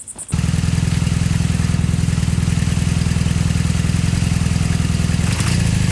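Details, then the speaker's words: 2002 Honda Magna V4 with freshly rebuilt carbs, before changing old black spark plugs and a dirty air filter: uneven loping beat with popping, backfire and hesitation on throttle. "little bit of popping sounds might just be due to uh a fouled spark plug or the really dirty air filter that's inside the Magna"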